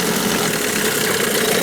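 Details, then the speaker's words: New Hangkai 9.8 two-stroke outboard being run in a barrel, after a cylinder-flooding fix (plug gap 0.8 mm, CDI ground moved to the engine block): buzzy idle holding a steady pitch with no misses or surging; normal idle. "В конечном итоге добился. Сейчас работает ровно и безупречно."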